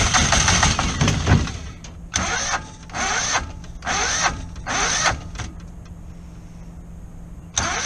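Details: Kohler 725cc V-twin surface-drive mud-motor boat engine that threw the cylinder one connecting rod, running on one cylinder with a homemade flywheel key: repeated uneven firing bursts over a low hum, stumbling.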